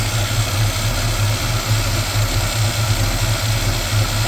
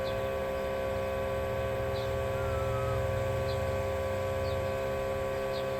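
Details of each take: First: 1987 Chevrolet V10 V8 with a new Carter fuel pump, primed by sucking the line: a deep, even thrum with no knocks, misses or hunting, a healthy idle; the owner is unsure why the filter is not full. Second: 1987 Chevrolet V10 with a new Carter electric fuel pump powered straight from an 18-volt battery to try to self-prime: a steady hum with light, regular ticking that never labours; the clear filter shows no fuel, the pump spinning dry.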